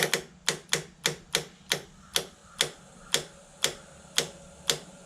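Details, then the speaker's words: Suzuki Intruder VL1500 that sat for years, engine off: crisp, evenly spaced ticks about twice a second from the fuel pump priming the carbs. The ticking stops once the carbs are full, showing proper fuel pressure and normal operation. "so just pre-loaded the carbs yep should be good there we go it's not clicking anymore so it filled up the carbs"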